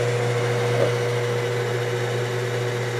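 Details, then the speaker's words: Enco lathe motor after replacing the 5L350 belt with a B32/BX belt to cure vibration: a steady, even hum with a low drone, much smoother than before. "okay I don't know if on camera but it's like a night and day difference this is uh 100 smoother much much better"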